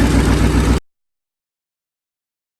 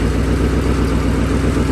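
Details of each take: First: 2008 Ford Mustang GT (S197) V8: steady knock about four times a second over the rumble. This noise is why the engine is being replaced with a 75,000-mile donor motor. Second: 2008 Ford Mustang GT (S197) with a replacement engine from a donor car with 75,000 miles, just installed: a deep, steady V8 idle with an even low burble and no knocks or ticks. It sounds healthy, unlike the old engine.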